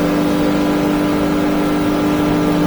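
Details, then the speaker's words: New 2023 Yamaha F300 outboard on a North River 24 Seahawk, wide open throttle around 5,700 to 6,000 rpm: strong even high-pitched drone, no stumbling or surging, doesn't labor; normal full-throttle running. "this thing should turn six oh man it doesn't even labor it"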